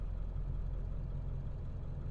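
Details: 2002 Ford F-250 7.3 Powerstroke diesel, previously idling rough, after ICP sensor and injector drive module replacement: deep, steady rumble with an even beat and no misses, knocks or stumbles. Normal idle.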